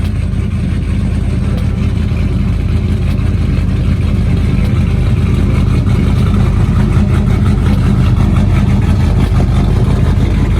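Deep, steady V8 rumble with an even firing beat and no stumble or bucking; the engine runs cleanly on all cylinders.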